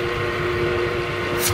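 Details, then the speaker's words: Donkey water pump after repair with motor refitted, no oil added yet: steady mid-pitch motor hum, no knocking, rattles or scraping; pump runs smoothly. "और इसे चलाया जा रहा है और आप देख सकते हैं इसमें किसी तरह की कोई आवाज नहीं है"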